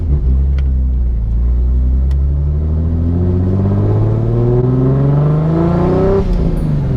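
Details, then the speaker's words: Nissan 240SX S14 with a self-built turbo RB26/30 on its first drive, second gear at 2000 rpm on light throttle, temperature 178, turbo audible. Deep exhaust note rising smoothly with no misfire, knock or rattle; normal acceleration. "I don't know if you guys can hear this turbo but what the hell this thing is a monster"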